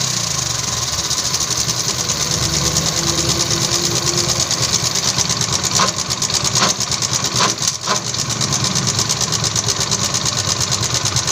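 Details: TVS XL 100 Heavy Duty idling: fast, uneven tinny rattle over the engine beat from the clutch area, noticed at slow speeds; clutch plate wear or low oil suspected, not confirmed.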